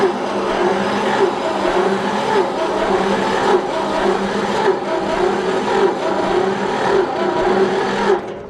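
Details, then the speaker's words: John Deere 70 tractor, engine recently unstuck and long unstarted, new battery: choked and given more gas, slow even cranking pulses about once a second, never catches. Owner suspects weak spark ("not enough fire"), not confirmed. "Like I said, we don't think it's getting enough fire, so I think that's our problem. But let's try her again. That's a little bit more cranking than I like to do."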